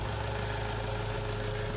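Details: Ford Ranger 2.2 diesel at idle after replacing a failed turbo that caused white smoke: an even low rumble and steady hum with no knocks or whistles, a normal idle.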